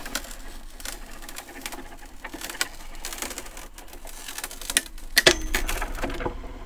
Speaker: Donc c'est normal si on entend des craquements hein au début sur la première utilisation, c'est tout à fait normal.